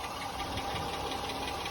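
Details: Jeep Grand Cherokee at idle: steady, fast, light ticking over the idle with an even rhythm; owner suspects a small exhaust leak, but exhaust shop insists no leak; source undiagnosed.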